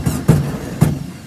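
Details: 1967 VW Karmann Ghia air-cooled engine, abandoned 45 years, running after a fuel pump rebuild; low rumble with a couple of throttle blips, then settling; running fine.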